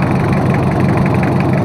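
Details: Toyota Kijang 2L diesel, freshly overhauled for low compression and abnormal noise, idling after first start: steady, even clatter with a smooth low rumble, no knocks or misses; oil pressure normal, no smoke, healthy.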